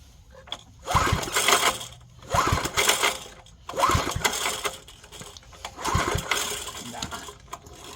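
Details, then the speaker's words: 1970s Briggs & Stratton 4 hp flathead air compressor engine: repeated pull-cord cranks about every second and a half, each a short whirr with no firing; compression suspected too low to fire. "I I think the compression is still too low to fire"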